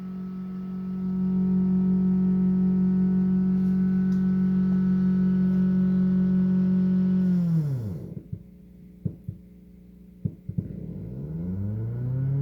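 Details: Ampeg SVT3 Pro bass amp: a steady low hum with a buzzy overtone that sags and warbles in pitch. Owner says fan EMI bleeds into the signal, sometimes bad, sometimes unnoticeable. Intermittent, source unconfirmed.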